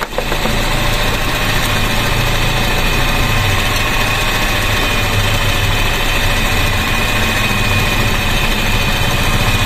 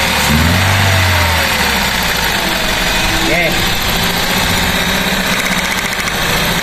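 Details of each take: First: Grab taxi car with a steady, even idle hum and no shake after new spark plugs and correcting swapped plug wires to the 1-3-4-2 firing order; misfire gone, firing cleanly on all cylinders. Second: Car with misfire after new spark plugs fitted, plug wires swapped from 1-3-4-2 firing order: idle stumbles with irregular beat, three or four uneven pulses a second, misfire from crossed plug wires.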